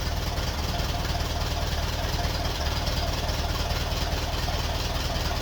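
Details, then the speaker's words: 1951 Ferguson tractor after thermostat housing replacement, at idle: slow, even low thump at about three beats a second, steady; idling cleanly and running well, no leaks. "Yeah, that is a really well running tractor. Really happy with that."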